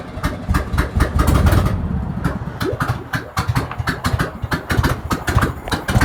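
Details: 1971 VW Beetle project engine running at fast idle with no exhaust fitted: raw popping bark with ragged, uneven firing pulses; owner unsure whether it sounds good and needs the exhaust on to judge the pistons.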